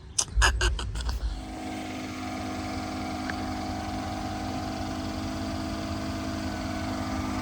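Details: 2014 Mercedes S550 W222 Airmatic, driver-side compressor (aftermarket unit, previously failed) under diagnosis: a few clicks then steady even electric hum holding pitch as the car raises after being lowered; pump only kicked on once lowered, running normally here.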